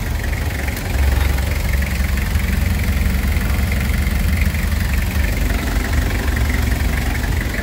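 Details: Toyota HiAce 2L diesel with converted 120 A Kia Carnival alternator, idling, charging above 14 V: steady idle with even light clatter, no hunting or misses; healthy.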